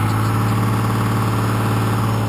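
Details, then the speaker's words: 1993 Dodge W350 with 6.2L Cummins, 210,000 miles, about 200 miles on the new motor: even diesel running held noticeably fast at idle with no dip or hunt; fuel screw bottomed all the way in at about 11.5 psi fuel pressure, so idle won't come down. "I'm running about 11 and a half pounds of pressure at idle and it's idling high because I got the fuel screw in all the way and I can't get any more idle down out of it so I'll figure that out later so"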